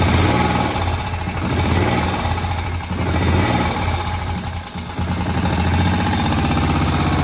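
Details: Moto Guzzi single revived after about 40 years, idle speed just turned down: slow, loping tick-over, each firing pulse distinct and fairly even. Healthy low idle that still needs some adjustment.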